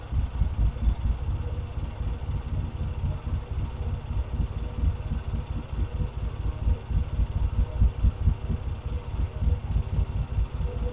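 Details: Vintage British motorcycle rebuilt from boxes, pilot circuit now working properly: low, even thumping about two beats a second, steady, no knocks or rattles; normal healthy idle.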